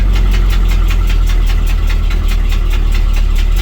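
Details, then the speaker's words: 1971 Chevrolet C20 driving after sitting unused at the house: heavy low rumble with a steady scraping tick about five times a second, like something dragging underneath; cause unknown. "Sounds like something's dragging on it. Something's dragging. What the fuck is that?"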